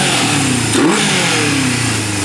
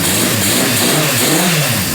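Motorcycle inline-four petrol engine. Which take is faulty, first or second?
first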